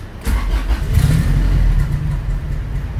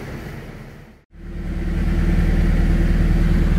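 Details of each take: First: Honda B18C1 turbo EG hatchback on dyno, with hot intake temps: engine fires into a low, lumpy near-stalling idle with idle air control valve unplugged; owner suspects a leak caused the very low idle. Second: Honda B18C1 turbo EG hatchback on dyno: after brief cutout, even low steady idle with no hunting or hiss; normal idle restored after fixing a couple of vacuum leaks.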